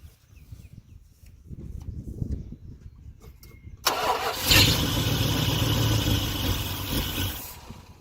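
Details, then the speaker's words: Dodge Ramcharger sitting about 16 years, fed from a gas can: quiet, then catches, runs loud and uneven and sags away. Fuel starvation because the mechanical fuel pump isn't pumping; an electric pump is to be fitted. "Okay. All right, it's not pumping fuel, so let's hook the electric fuel pump too. We got a bad fuel pump on here."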